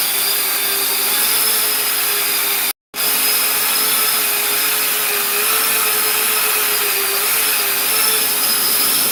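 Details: Custom 3D-printed 70mm EDF quadcopter, brand-new brushless motors: high steady whine with a rough gritty edge over fan rush, pitch slightly unsteady; left rear motor suspected, possibly 4S motors supplied by mistake, likely debris inside it.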